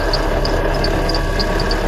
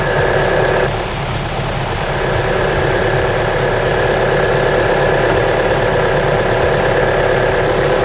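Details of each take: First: Mitsubishi Outlander idling at -5°C, drive belt replaced 10,000 km ago: thin high whistle and short irregular chirps from the slipping belt. Fix is a belt conditioner spray. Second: Mitsubishi Outlander petrol engine idling at -5°C after spraying the drive belt (replaced 10,000 km ago) with belt conditioner: steady even hum, the earlier belt whistling now gone.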